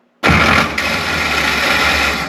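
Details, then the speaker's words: 1970s International 574 loader tractor starter engaging with a harsh metallic grinding burst and no clean cranking rhythm, grinding every time it is started. "the reason I have this in the shop today is because every time you try to start this bad boy up it grinds more than the brakes on a mail delivery"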